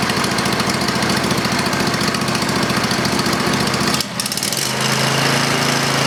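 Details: Briggs & Stratton 20 HP V-twin Model 40 series after carburetor cleaning: fast, even beat settling into steadier, smoother note with no misses; running normally.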